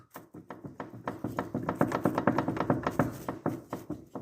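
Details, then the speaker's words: Audi allroad C5 2.7 with the steering wheel jerked back and forth: dull clunks in quick bursts from play in the shaft inside the steering rack. Dirt got in through a torn boot, the tie rods are not at fault and the rack doesn't leak; steering rack knock. "То есть он вал уже стучит вот если у вас вы за руль дергаете вот так вот и слышите люфт то есть стук это батарейка"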